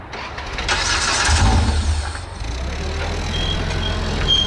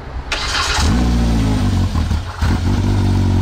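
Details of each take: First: Side-by-side (RZR X3 or YXZ) wrecked when the trailer rolled on the highway: starter grinds, engine catches with a short burst then sags and dies within seconds; owners suspect a safety cutoff killing fuel pump or injectors. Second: Side-by-side (RZR X3 or YXZ) wrecked in a trailer rollover, with a busted part they were sure was the problem: catches within a second and holds a deep, steady, slightly lumpy run with a brief dip; now runs.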